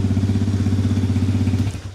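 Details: 2020 Chinese Apollo 250cc dirt bike, after electrical repair: cold start with exhaust completely cold; steady, even single-cylinder thump at idle, no knocks or misses, then shuts off; normal healthy idle.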